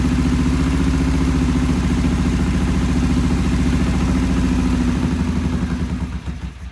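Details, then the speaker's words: Vintage British twin-carb motorcycle, first start, choke off, timing just set: lumpy, uneven idle that sags and dies; the bike would not idle well, later fixed by cleaning the pilot jets. "And it wouldn't idle before very well, so we're going to fire it up now and see what it does."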